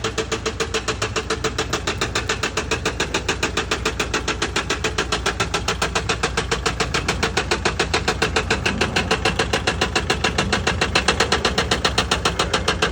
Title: Mercedes sprinter engine knocking #automobile #mechanic